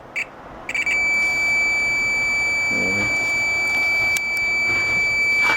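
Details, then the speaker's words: Loose buzzer being tested on a multimeter through alligator-clip leads, with the board-mounted buzzer disconnected; a steady, shrill beep holds at one high pitch without wavering, so the buzzer is good. "Aquí vamos a probar uno ahí ya sabemos Pues que está bueno porque está pitando vamos a probar aquí otro sabemos que está bueno"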